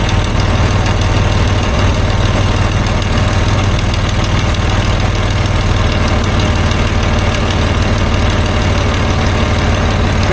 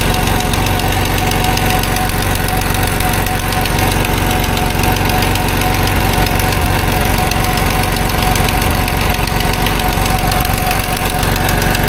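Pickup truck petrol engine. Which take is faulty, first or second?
second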